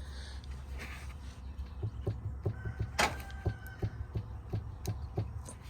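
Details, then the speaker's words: Truck driveshaft rocked by hand: quick dull pops, about three a second, from a loose, worn carrier bearing behind a drivetrain vibration problem. "don't know if you can hear that but it seems to be maybe a little loose in here it's almost making like a poppy noise"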